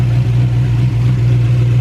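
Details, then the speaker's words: Turbo 5.3 V8 Chevy Colorado, first startup after a quick engine rebuild, belts previously squeaky: deep, steady V8 idle with an even low thrum and no knocking, quieting down as it runs; sounds healthy. "It actually is quieting down a little bit. Might be good. Alright y'all, as you can hear, we got the truck started up."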